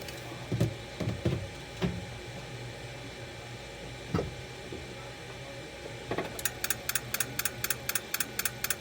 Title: Ford 6.0 no start audible injector clicks an no start